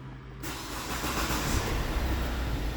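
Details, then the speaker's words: 2010 Kia Ceed after replacing the steering column coupling to cure a clicking steering wheel: the engine starts and settles to an even idle, with no clunks or knocks as the wheel turns. "direksiyonda herhangi bir tıkırtı, herhangi bir sıkıntı kalmadı."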